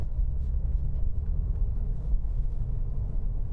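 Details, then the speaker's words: Porsche 911 Carrera 4 bought with burn damage and listed as not running, first test drive: steady low road rumble with zero knocks or bangs from suspension or steering; clutch, steering and brakes fine, slight rust on the discs. "There are zero knocks or bangs coming from the suspension or the steering or quite frankly anything whatsoever."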